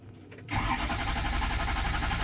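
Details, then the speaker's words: 6.0 PowerStroke diesel after oil cooler install: steady starter cranking that never fires; scan shows FICM main power dropping to about 30 V (under 45 V fails), so it won't start; FICM to be replaced. "so as you could tell it is the victim main power that drops drastically to like a thirty Psalm it's not it's not gonna start"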